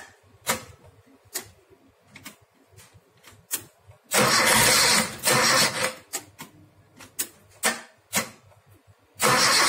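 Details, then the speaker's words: Suzuki Jimny Katana after replacing a snapped timing belt and tensioner, distributor set to number 1, electric fan refitted: few sharp cranking bursts, then the engine catches and holds a fairly steady run; normal start and idle. "Extra fan-nya sudah selesai, sekarang kita tes untuk menghidupkan mesinnya. Coba di start."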